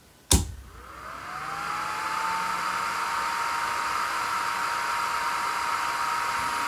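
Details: Mecpow X3 Pro 10 W laser engraver at first switch-on with no file loaded: the laser head fan spins up with a rising whir over about two seconds, then holds a smooth steady hum with no rattle. Healthy.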